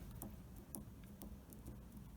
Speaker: when we're doing the internal work there's a little bit of play and tracing it back it seems to be the play between the pin there's a definite Rock